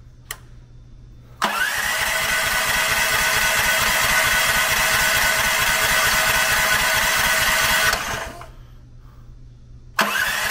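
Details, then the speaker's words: New Predator 420cc electric-start engine swapped into a 34-ton log splitter, cranked before fueling to circulate oil: brisk, even cranking with compression pulses about three per second over a smooth starter whirr; cranks over well. "bit i think that's pretty good on that one that actually cranks over very well with that battery i'm super impressed by that one"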